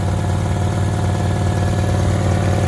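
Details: 1994 Honda Accord after replacing all distributor seals; steady, even low idle with a smooth, regular beat and no misses or ticks, healthy engine.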